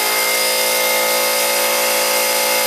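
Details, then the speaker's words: Harbor Freight 125 psi compressor with two run capacitors in parallel replacing 140MFD original (after wrong electrolytic cap blew): loud, steady high-pitched pump clatter with even hum, no stalling or labouring; normal running while pumping toward 125 psi shutoff. "I can tell you one thing, these old Harbor Freights, they're a noisy son of a gun."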